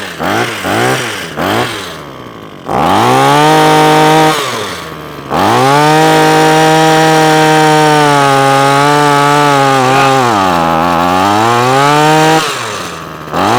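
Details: Parkside SK1E34F-LD (model number uncertain) two-stroke hedge trimmer, before repair, primed and choked: it blips, holds a high steady note, then sags and recovers. It keeps cutting out from fuel starvation, caused by a stiff carburettor metering diaphragm and a blocked fuel screen.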